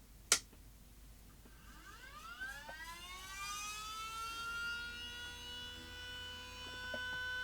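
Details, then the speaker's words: Panasonic AG-4700 S-VHS VCR (like NV-HS1000), at power-up: click then thin whine climbing steeply and holding high, head drum motor overspeeding with E9 display, later settles; boot fault persists after power supply and main board swap. "so that's a Head drum motor spinning very fast there's a display and it comes up with E9"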